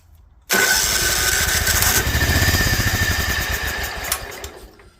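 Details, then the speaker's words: Toro Wheel Horse 265 tractor engine cranked on starter fluid with a replacement starter: labored cranking about four strokes a second with a bad metallic clank inside; internal trouble is suspected. "I can hear a really really bad Clank on the inside of this thing I'm gonna bet that it's probably got some internal issues"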